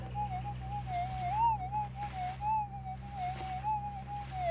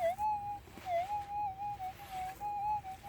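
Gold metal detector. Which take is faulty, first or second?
first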